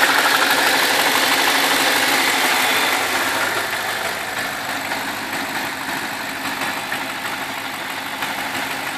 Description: Das geräusch kommt meiner Meinung nach von der Kette in der rechten Zylinderbank. (Direkt unter dem Öleinfüllstutzen)